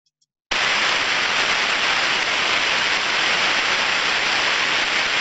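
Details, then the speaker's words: Bearing needing lubrication, heard through an ultrasound probe while greasing with a grease caddy: steady, even rushing hiss of friction, no clicks; ultrasound level drops as grease is applied, stop when it goes no lower. "so from that sound far we can hear the large level of white noise as as the grease gets applied we hear the friction reducing so the ultrasound starts to reduce"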